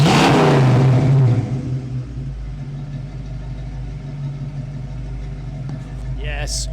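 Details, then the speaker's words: 1967 Ford Mustang V8 after fitting Pertronix electronic ignition and a new coil, timing set to 6° BTDC: sharp throttle blip, then a steady, even, deep idle with no misses or stumbles. Healthy running. "real V8. American muscle. That's what I'm talking about."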